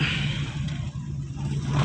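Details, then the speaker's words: 1990s Toyota Corolla 16-valve carbureted, idling about 500 rpm: low uneven idle with sharp exhaust pops about a second apart; popping attributed to rpm too low and improper fuel mixture; stalls when releasing clutch. "Ah untuk suaranya agak sedikit eh nembak-nembak ya ini dikarenakan karena rpm nya terlalu rendah"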